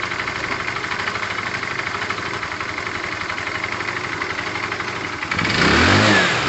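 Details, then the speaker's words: Tamoretti with replacement carb after air-fuel and idle screw adjustment: steady idle pulses, then a quick clean rev without stumbling; owner judges the carb near optimum setting. "so my guess is that it's at its kind of optimum performance there"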